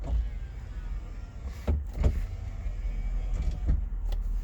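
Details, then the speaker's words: 2003 Lincoln Town Car Federal limousine, 163,000 km, pre-purchase inspection from inside the rear cabin: privacy partition button opens and closes it with short electric motor whirs starting and stopping cleanly, no grinding or strain, normal operation. "privacy partition button here does open and closed"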